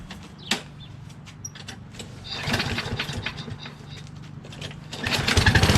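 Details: Curbside Toro Recycler XT675 Kohler mower, fresh gas after sitting a couple of days with a dirty, oily carb area: a few rough pulls and sputters, then catches near the end into a steady, even beat; starts and runs normally.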